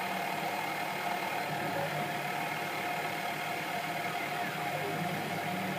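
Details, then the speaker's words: Sieg KX3 CNC mill on its first real cut of a logo: a steady mid-pitched whine over a busy hiss of cutting as the stepper motors drive the table and the head. This is the normal, intended stepper noise. "so the whining noise you can hear instantly is the stepper motors which drive the table from side to side and fall back and also the head up and down gently working away to themselves incidentally it is actually supposed to make that noise"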